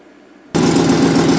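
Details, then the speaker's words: 2009 GMC Sierra, no-crank after mistaken 24-volt boost, first start after fuel pump driver module replaced and programmed: silence, then fires at once into steady idle without stumbling; runs, though bad left exhaust manifold leak noted; ABS module still suspected damaged. "it obviously runs has a bad exhaust leak from the left manifold but that other issues"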